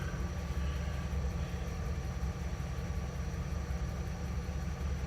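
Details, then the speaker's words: 1971 GMC Camper Special 3/4 ton V8, first start after 18+ years off road, fresh fuel poured in, vacuum advance disconnected, timing unknown: deep uneven lumpy throbbing, engine shaking; misfire, not running on all eight cylinders. "It's not running on all 8, that's for sure. It is shaking."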